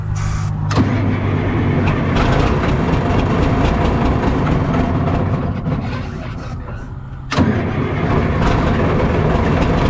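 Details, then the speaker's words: Cat 977K track loader diesel being looked at for purchase, started with starting fluid after brief cranking: fires, sags and nearly dies before catching again; uneven running, owner thinks it is starving for fuel. "i hope we don't need it because it's uh i think it's because it's starving for fuel a little bit"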